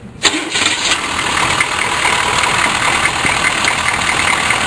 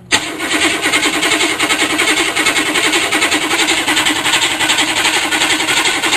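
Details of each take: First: GM 6.2 diesel Suburban starting after a 10-second glow plug cycle: the starter catches almost at once and the engine settles into a steady, even diesel idle; a quick, clean start. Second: GM 6.2 diesel Suburban cranking with the glow plug wire and injection pump power disconnected: even, rhythmic cranking under three beats a second with no catch, slower than it should be.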